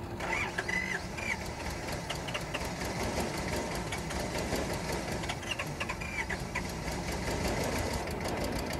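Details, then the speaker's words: Bobcat 543 with 2-cylinder Isuzu 2AA1 diesel, cold start needing long glow plug time: cranks with rapid chug and brief clatter, won't settle into clean idle; suspected fuel bleed-back, low compression, glow plugs or air in fuel, unconfirmed. "what do you guys think could be wrong with her do we have fuel bleeding back low compression are we looking at glow plug problems maybe we got some air in the fuel"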